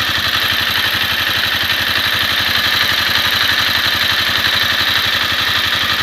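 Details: Honda CBR250R single, warm after a 15 km ride: a fast, light, steady tick over the idle; shim or cam chain tensioner noise suspected, not confirmed.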